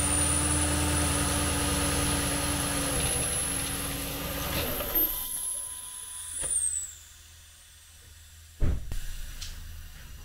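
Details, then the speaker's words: 2013 Porsche Cayenne S 4.8L V8 at startup/idle: loud high hissing, whistling suction from a big vacuum leak at the withered, broken air-oil separator diaphragm; check engine light with MAF implausible codes. "so as you can hear from the startup of this one it actually has a pretty big leak it's trying to draw air in there and you can hear that uh loud hissing noise"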